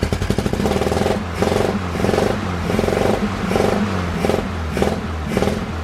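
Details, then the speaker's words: VW Bus air-cooled flat-four, first start after new fuel lines fitted: steady idle with a soft even pulse and no misses; running, though fuel is leaking at the fuel pump. "But yeah, look at it. It's just sitting there idling."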